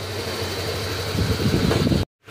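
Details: Honda Click 125 scooter after engine overhaul for a connecting-rod knock, warming up slightly: small single settles into a steady, even idle, no knocking or tapping; sounds healthy after repair.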